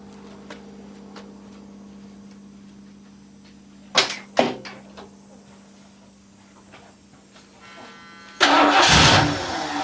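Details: Ford LTD V8 at idle right after fitting a new $80 eBay 2150 Ford carburetor, carb screws not yet adjusted, after the old carb poured gas; even, steady idle hum with no misses, purrs like a kitten. Normal idle.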